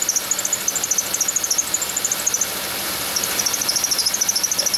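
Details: Chevy Venture van, engine running: high chirping squeal pulsing about three times a second, dropping out briefly as WD-40 is sprayed on the idler pulley below the air pump pulley, the front-most idler, confirming its dry, failing bearing.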